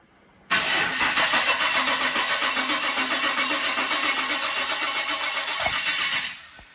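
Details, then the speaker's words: Holden VL with an RB30 turbo swap, first crank after filling the oil, with the ignition unplugged so there is no spark. Steady, even cranking at about four turns a second for nearly six seconds with no grinding; sounds healthy. "That sounds healthy."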